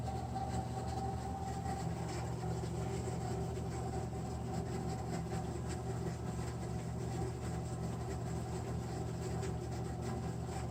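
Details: American Standard Freedom 90 single-stage natural gas furnace: steady low blower hum with a faint water-trickling texture, winding down in falling tones near the end; abnormal noise, cause unknown.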